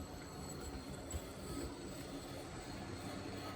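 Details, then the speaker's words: EFE Bulleid Booster model locomotive, new and not yet run in, axles lightly oiled: it rumbles along with a thin, steady high-pitched metallic squeak like brakes squealing, worse in one direction. "No. You can still hear that squeak in there, can't you? Sounds like brakes squealing. Especially in that direction."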